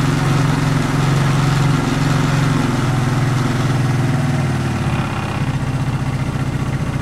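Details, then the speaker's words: 1994 Suzuki Quadrunner 250 4x4 ATV single-cylinder, first start after sitting for years and a carb clean and rebuild: fast, slightly uneven idle, steady and running on its own. Still needs tuning; old spark plug still in. "so i need some tuning i'd say but at least now it's running"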